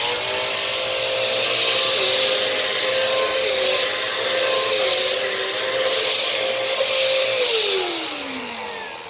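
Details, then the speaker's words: 2015 Power Force Compact vacuum: very loud, steady high motor whine over harsh rushing air, winding down at the end; the filters and airway are clogged. "Filters are clogged, vacuum's clogged, horrible dog smell. Not good, not very good."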